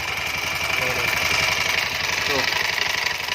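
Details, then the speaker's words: Honda Scoopy 110 carburettor scooter at idle with a vibration complaint at the CVT: uneven rattling tick about four times a second over a thin engine note, rough sound when the pulley is wobbled; CVT pulley wobble rubbing. "Kasar banget nih dari pipinya itu ini aku goyang semua nah ini suara kasar nih"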